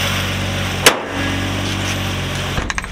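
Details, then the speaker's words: Nissan Altima SE-R idling after intake manifold leak fixed: steady even idle at about 900 rpm with no hunting or stumble, running properly. "That's my idle right there. That's it. That's my 900 idle. That's where we should be at."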